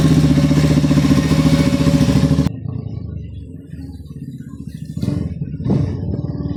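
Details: Suzuki SS-X200 motorcycle that was hard starting and misfiring with a crushed Bendix starter drive, now running again: firm regular single-cylinder beat about four pulses per second settling into steady clean idle.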